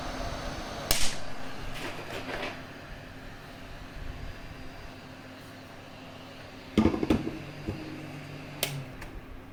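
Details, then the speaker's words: Zotac GTX 460 SE reference-PCB card during hot-air VRM rework under foil protection: a steady blower hiss with sharp cracks and a sudden pop as a 16V capacitor bursts from the heat. "You can hear a pop. You can't really see it because it was under the protection, but one of those capacitors blew up."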